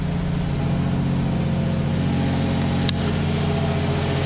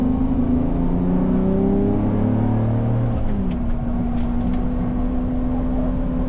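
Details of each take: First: Audi R8 with catalytic converters still fitted, engine work on record (new timing chain, block replaced): smooth, steady idle, even deep hum, slightly louder exhaust, no moan or irregularity; normal idle, pretty quiet. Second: Audi R8 with new Capristo exhaust, headers and test pipes, exhaust manifold leak now fixed: a steady low moan persists under the engine as revs drop and settle; exhaust ruled out, source still unknown, catalytic converters questioned.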